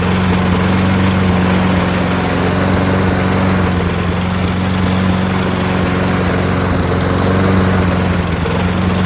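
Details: Toro Recycler 22-inch front self-propelled mower with a Tecumseh engine, left two years with gas in it and its carburetor cleaned; a steady, even drone with no misses or surging at the higher RPM.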